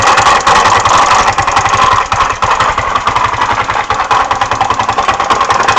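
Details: GY6 150cc MD 150T-6 scooter at idle with a steady fast internal clatter or knock. Performance is not affected; clutch, variator and belt ruled out, and the oil shows no obvious metal shavings. Cause not found.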